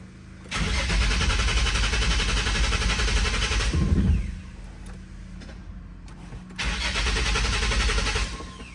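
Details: 2005 Nissan 350Z, 69k miles, VQ35HR swap, abandoned, unlocked ECU, after two hours of electrical diagnosis; steady cranking churn, pause, more cranking as engine tries to catch, fires unexpectedly; cause not found.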